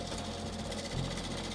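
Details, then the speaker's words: Wood lathe slowed down while a gouge turns a resin-stabilized, out-of-round bowl blank: rapid, regular chattering taps as the gouge hits only high spots, skipping lessening as the blank becomes round. "As I slow down the lathe here, you can see what low points I'm trying to work towards. And as I get closer to them, you can notice the amount of skipping becomes less and less and even less."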